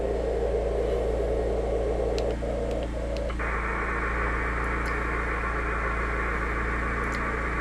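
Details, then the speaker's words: Ham radio on 17 ft van-mounted whip near S9+ inverter generator: steady hiss and buzzing hum swelling slightly; generator RF interference, with ferrite beads fitted. "So, now I have five beads on there. It went from around a 55 noise level down to actually between one and two."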